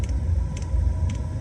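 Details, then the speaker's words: 4-year-old Chinese diesel heater reset to factory defaults with a new fuel filter, after its pump kept stopping (owner suspects an overheated main board): warmed up and running with a low steady burner rumble, soft pump ticks twice a second, no smoke; normal running. "No smoke, no nothing. Running beautifully. Okay, kicked in, got warm, fired up, beautiful."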